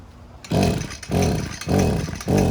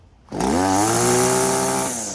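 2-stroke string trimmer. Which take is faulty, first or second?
first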